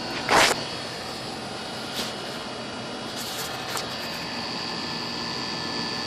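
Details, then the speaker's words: Goodman AC condenser after a blown capacitor was replaced on a no-cooling call where the outdoor fan wasn't running. Fan and compressor now run with a steady, even whir. The unit was later found overcharged with zero superheat. "The pressure's running. Capacitors apparently was the only thing, but we're going to find out."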